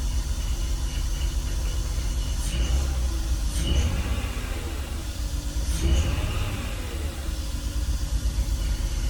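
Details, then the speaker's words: BMW E46 at idle after a diagnosed vacuum leak, a replaced CCV system and two bad coil packs swapped out: rough idle with low, uneven rumble and some shake, smoother than before, with a misfire code remaining on cylinder 6. "I got it running it's still not super smooth but it's not rumbling like it did it's not shaking like it was it's still like it's not smooth but it's"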